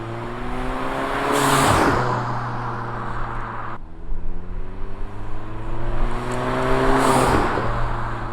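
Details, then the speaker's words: VW MK7 GTI, five years old, 50,000 miles, tuned, with a Turbosmart blow-off valve: two sharp airy whooshes as the throttle lifts between revs. The valve vents normally, only on throttle lift-off. "but for the the turbo smart one it only goes off when you let off on throttle"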